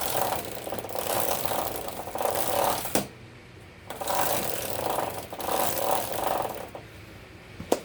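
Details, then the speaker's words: Motorcycle rear wheel spun by hand: harsh rattling grind in surges each turn, loud knocking from chain area that appeared suddenly while riding; chain looked good apart from rust spots, poorly serviced; worn chain and sprocket knocking. "Now, a chain and sprocket is never supposed to sound that way. That is horrible."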